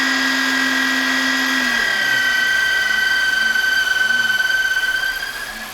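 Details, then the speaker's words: Car engine revving with a shrill, steady whistle heard at high revs: the PCV oil separator diaphragm is torn and needs replacing; linked to heavy oil consumption. "А вот послушайте звук когда масло делителе Порвана диафрагма мембрана и нужно её менять"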